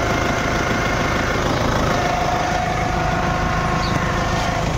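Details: Toyota Innova at idle, heard while the steering wheel is turned. A faint steady whine rides over an even idle, with no oil leak or low level and no hard steering; a worn power steering pump, to be replaced.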